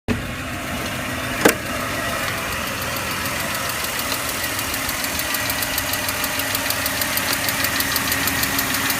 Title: E39 530i ticking noise